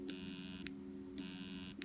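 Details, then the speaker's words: Stepper motor with clunky movement: a steady low hum with a sharp jittery click about every half second and no rotation. The motor is stalling because it is not getting enough power. "all right so right now it's not working and it's doing its own little step thing i don't know if you can hear that it's kind of doing its own thing"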